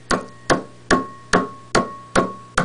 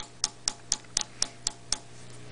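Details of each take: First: General Electric long-plate 12AX7 preamp tube, warmed up in a high-gain noise test fixture, tapped with a pencil: seven sharp taps ring through the speaker about 2.5 a second with a steady tone: microphonic vacuum tube. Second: 12AX7 vacuum tube on noise test fixture, 150 V plate supply, 12.6 V DC heater, triode two: crisp taps about four per second over faint hum, no ringing; normal low microphonics.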